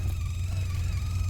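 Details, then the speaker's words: Sea Ray 19 boat stereo: steady low droning hum from the speakers, heard with the key on and louder with the engine running. It is stereo related, and the owner suspects the noise is back-feeding through the amplifier or speaker/RCA wiring. Speaker hum. "so just with a key switch on I can hear some humming coming out of the speakers here"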